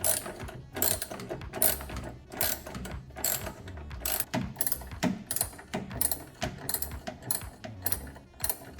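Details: Electrolux 10kg Turbo Economia washer after repair of agitating one way only: rhythmic swishing and clunking strokes about once a second, alternating evenly both directions; normal agitation restored.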